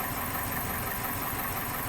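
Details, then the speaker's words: 2001 Toyota Corolla 1.8 petrol, no codes: uneven, shaky idle with stumbling beat from cylinder 3 misfire; suspected spark plug fouled with oil or old. "ha defendido el número 3 está fallando así de sencillo"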